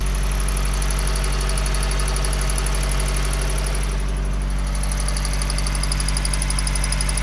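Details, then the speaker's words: Car idling with an alternator that is charging. High, rapid chirping squeak pulses over the idle rumble from the belt-driven accessories; tensioner ruled out, AC compressor suspected but not confirmed. "I'm sure you guys can hear that squeak under there that is what we have to try and fix"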